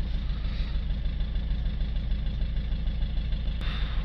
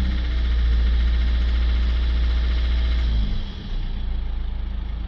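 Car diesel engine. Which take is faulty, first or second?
first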